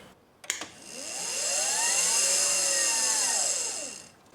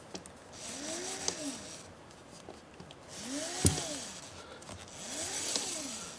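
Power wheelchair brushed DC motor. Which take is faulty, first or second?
first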